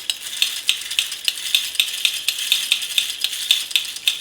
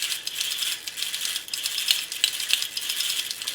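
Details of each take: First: Restored James Bond tin toy car, motor running after new gears were fitted to fix a tight gear train: thin high buzz with quick even gear ticks, speeding up; the motor spins freely with no binding. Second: Restored James Bond tin toy car motor gear train after adjusting tight cogs: fast, uneven high-pitched ticking and rattling from small gears; mesh sounds rough and tight, one shaft slightly out and sticking.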